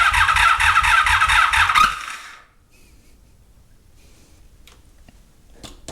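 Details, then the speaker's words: 1983 Honda Magna V45 with an electrical gremlin: battery low and on charger, unplugged headlight found, intermittent voltages. Starter grinds steadily, about two turns a second, for two seconds without firing. Cranks but won't start; cause not yet found. "so I have uh an electrical Gremlin let me think that through for a second [Laughter] a little low on battery okay I'm intermittently getting the right voltages and stuff's places I don't know what I'm missing yet"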